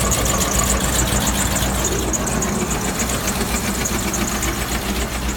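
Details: 2003 Land Rover Discovery 2 engine at steady idle with a loose uneven knock, roughly three a second, over the low rumble; cause not pinned down.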